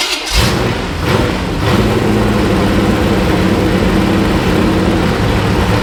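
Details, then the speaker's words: Small-block Chevy V8 that sat stored for years, first run on an open exhaust: it catches quickly and settles into a loud, even idle with no rattle, ticking or lifter noise, with good oil pressure; normal running. "This thing sounds good. I don't hear no rattling. I don't hear no lifter noise."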